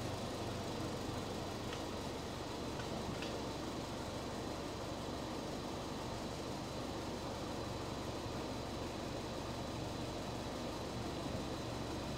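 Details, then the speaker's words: 2018 Land Rover Discovery 5 salvage rebuild, engine cover off: low, even hum with steady tone for twelve seconds, no knocks or misses; healthy idle. "really does go go up higher doesn't it that sounds so lovely now as well and that's going to be even more quiet when we get the engine cover on there"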